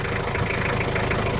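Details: Toyota Kijang LGX 2.5 diesel idling after service, previously rough with valve clearance due; now not as rough as before: even, steady diesel clatter with no roughness or misses, normal healthy idle.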